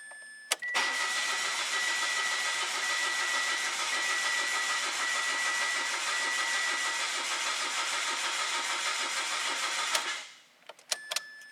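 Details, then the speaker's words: 2017 Mitsubishi Mirage 1.2L three-cylinder (P0016, misfire, rough running), crank no-start test with all three injectors unplugged while checking cylinder pressure, intake pulses and cam/crank signals. Steady cranking at about 3.5 pulses a second for roughly nine seconds, never firing. "i'm gonna start by just doing a crank no start looking at obviously the pressures in the cylinder"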